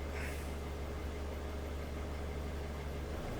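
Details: 2003 Nissan X-Trail 2.2 dCi (T30) with fault code P0120, accelerator not revving, after powering the circuit and clearing codes: steady even diesel idle, smooth low hum, no misses or knocks; idle back up to normal.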